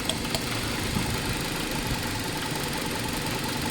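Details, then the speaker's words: 2018 Hyundai Accent 1.4 with idle going up and down and stalling: petrol engine idles unevenly, stumbling from ignition coils leaking spark; three of four coils misfiring strongly, only number two good; all four coils replaced. Ignition misfire rough idle. "Ay number two lang yung walang ano walang misfire pero yung tatlo talagang Ang lalakas ng misfire mga boss"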